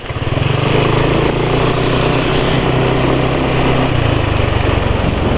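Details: Engine with oil at 83 km, during an oil-additive comparison (WEPP 2111 added afterward): steady idle with a coarse, gritty rumble and uneven pulsing, sounding rough rather than smooth; cause suspected oil quality, unconfirmed.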